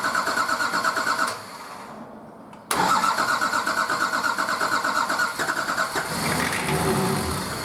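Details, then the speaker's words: Nissan Patrol RD28 diesel, first start after injector and pump install, idle over six months: starter churns steadily with injectors cracked loose, goes quiet, then catches and runs rough and knocky as air bleeds from the injection lines. "i've cracked all of the injectors loose i'm going to crank it a bit until i see fuel come out and then start tightening them all off and then loosening them cranking and tightening them up before i stop cranking just to stop air getting sucked back down into the lines"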